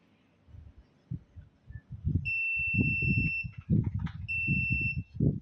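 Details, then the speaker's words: Multimeter continuity test of the speed switch on a Sharp blender that won't run: two steady high beeps amid handling knocks; position 1 open, position 2 conducts only when contacts are pressed hard; switch suspected faulty. "ถ้าแตะธรรมดาบ่ดังนะครับนี่แสดงว่าน่าจะเป็นสวิตช์เสียนะครับ"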